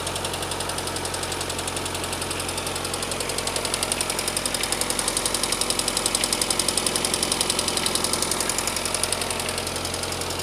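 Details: Lada 21124 engine: crisp, even tapping at idle, almost four per second, over a steady engine note; noisy hydraulic lifters.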